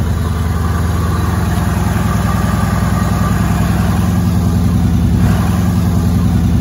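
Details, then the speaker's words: 2014 Mercedes W212 E63 AMG V8 after replacing the stock air filters with oiled K&N filters: smooth even idle burble, about three and a half pulses a second, no misses or ticking; nice induction sound. "Nice induction sound there as well. So that's all sorted."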